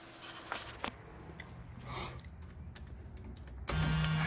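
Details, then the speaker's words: 1970 Mercury Cougar after soldering in a replacement engine wiring harness section: with key in ignition a steady low electric buzz switches on abruptly and holds evenly; normal key-in-ignition reminder buzzer. "heard that sound in a long time there's the buzzer reminding you that the keys still in the ignition"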